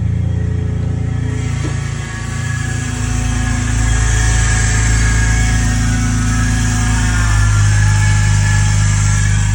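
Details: BMW 330Ci E46, cold start: engine at fast idle with a thin, steady whine over the low engine hum.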